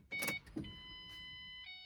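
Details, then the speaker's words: 2005 Ford Mustang 4.0L V6 manual with code P1233, key on after clearing codes: a short clatter, then the fuel pump's steady electric hum as it primes normally. "pump you can hear it come on memory codes of course it doesn't set that time"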